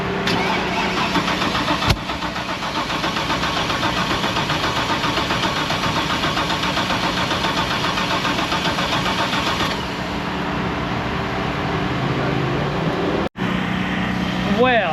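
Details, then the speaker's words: Pinks drag Mustang cranking with fuel pressure and pumps priming: even, healthy cranking rhythm for ten seconds but no start. Cause was a failed cam sensor; switching the ECU to batch fire to disable it made it fire right up. "Uh, apparently the cam sensor failed. You switch it to a backfire or sorry, batch fire and you can basically just disable the cam sensor."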